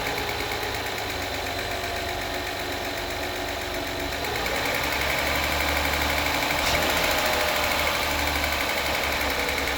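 A sharp, even tick about four times a second over the idle, quickening as the revs climb; a top-end tick with no clear cause yet.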